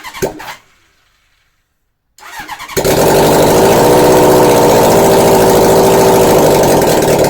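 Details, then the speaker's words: 1981 Honda CB750 engine with simplified wiring, black/white CDI power wire connected, no headers fitted: a few cranking bursts then the four catches and settles into a loud, raw, even roar; runs cleanly. "so once I connected that up after some mocking it out we get things to start up I don't recommend doing this without headers"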